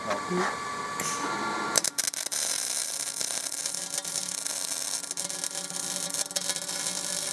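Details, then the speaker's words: MIG welding with a Binzel-style gun after a liner replacement, same machine, settings and wire, on a big gap with poor fit-up: after a brief strike, a steady, even frying arc with no sputter. The wire feeds cleanly and the liner was not the issue. "besides that that was a very big gift and a really poor fit up the machine didn't miss a beat it wasn't a liner issue this time"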